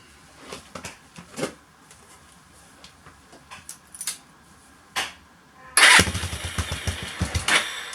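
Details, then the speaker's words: Suzuki GN250 first start after clutch replacement with fresh oil: a few clicks, single fires first try and settles into a steady even thump, no odd noises; runs normally. "Way. Feels absolutely fine."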